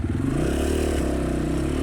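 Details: Cheap 250cc Amazon dirt bike that sat unused for five years, running after a freshly activated new battery and now starting much better: quick, even single-cylinder pulse holding steady speed without sputtering or hunting; normal running.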